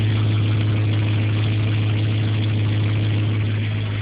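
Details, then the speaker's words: Ford 6.0 Powerstroke diesel idling with the solenoid unplugged: a steady, deep, even drone with no grinding, and a normal exhaust. "The solenoid's unplugged. Sounds pretty normal. Exhaust sounds normal."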